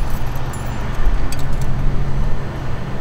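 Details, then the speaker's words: 1977 Cadillac Eldorado with mild exhaust and a Phantom stealth fuel system: steady, even low exhaust rumble at idle with no pump whine or buzz. The fuel pump is inaudible and running normally. "All right, so now you can hear the cars running, and with mild exhaust here, cannot hear the fuel system at all. And that's the point of the stealth fuel system."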